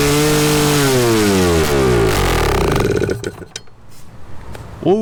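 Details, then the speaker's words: 1981 Suzuki TS250 two-stroke, long parked, B8S plug, choke being taken off: screams at high revs, pitch sagging and surging about three seconds before dying abruptly; runaway revving, cause unknown. "So, yes, it will run. Something's not right. So, yeah, I think we're going to conclude that here and start doing some digging and uh figure out what is going on with this cuz it just goes berserko."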